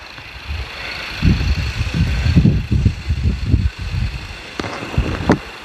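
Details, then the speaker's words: 2.2 diesel idling after injector repair with new valve sets and nozzles, values reset; injector correction values about 0.9 to 1.1, normal on all cylinders: even, steady low clatter with no misses or knocks. Normal idle. "ตามขั้นตอนการซ่อมของทางทีมงานเรานะครับเครื่องเสียงเครื่องยนต์ก็ประมาณนี้นะครับ"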